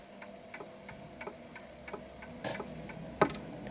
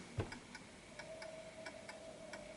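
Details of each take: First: Antique Westminster chiming clock with silent function, after being nudged slightly left to find the center of gravity: crisp, evenly spaced tick-tock with matching beats and no limp; clock in beat and ticking perfectly. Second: Antique Westminster chiming clock with silent function, placed off center on a surface: ticks about three per second with alternating short and long gaps, lopsided tick-tock; pendulum out of beat and clock eventually stops.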